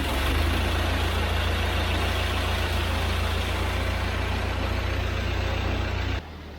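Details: 1948 Ford 8N tractor back for repairs, running after spark was restored: deep, steady chug holding an even beat with no misses or knocks until it shuts off. Normal running.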